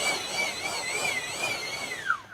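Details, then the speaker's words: FMS EDF fan unit after balancing, run up. A clean high whoosh rather than a buzz, wavering slightly then winding down smoothly with no rattle: a well-balanced fan. "so this one's perfectly balanced we're only gonna hear a whooshing sound"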